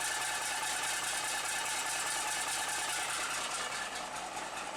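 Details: Bus diesel restarted after standing unrun for a week, with fresh fuel and a bodged wire: settles into steady even idle, no knocks or hesitation, clean warm-up; healthy normal idle.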